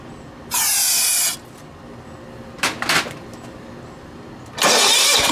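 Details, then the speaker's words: Late-1980s John Deere RX95 riding mower, previously water-soaked and on a weak battery: two long bursts of cranking with a short catch between them, almost firing on contact cleaner used as starting spray but never running. "it's slung water all out at me but other than that man it was gonna fire"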